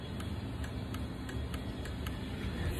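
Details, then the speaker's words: Garage door safety photo-eye, which can stop the door closing when knocked or its reflector is dirty: sharp light clicks, about eight in three seconds, over a low rumble, each time a hand blocks the beam and the red light comes on. "when something is impeding the laser from going over to the reflector the light goes on and I don't know if you can hear it click"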